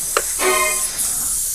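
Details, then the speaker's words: 1996 Harley-Davidson FLTSN tire: sharp steady high hiss continues after the Yesper X1 inflator auto-stops at 36 PSI; air escaping past the valve stem. "all right it stopped now I'm assuming that when it stops something pushes into or pulls out to prevent the air from escaping but it's not doing [Music] that"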